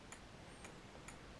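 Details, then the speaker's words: Honda Express NC50 moped restoration: homemade 555-timer indicator flasher driving a relay via NPN transistor at about 6.6 V, faint steady clicks about every half second; relay clicking normally at an even flash rate. "I think that's the relay that's the indicator flashing in this"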